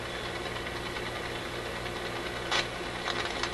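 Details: RCA Victor A24 vacuum tube radio during shortwave alignment: background hiss breaks into short, sharp crackling bursts. This recurring intermittent problem does not seem to be physical. The owner suspects a switch contact, a tube or a capacitor, but the cause has not been found.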